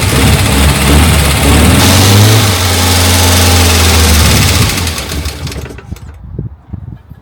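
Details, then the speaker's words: Morris Minor 1000, first start attempt after a long lay-up with spark plug seen to and battery booster: steady starter churning about three and a half turns a second with faint attempts to fire, dies without catching; cranks but fails to start. "Well, nearly. She is trying."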